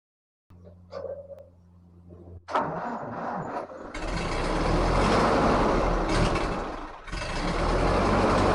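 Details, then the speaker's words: 1944 Ford 2N tractor after rebuild, carburetor not feeding right; short sluggish crank, brief stumble, rough sagging running, then dies; owner suspects starter switch burned from repeated starts, too little current for normal cranking speed. "I think I burned up this guy which is the starter switch it is not putting out enough amps to turn that starter at anything close to the speed it should be and uh at the end there it just stopped doing anything"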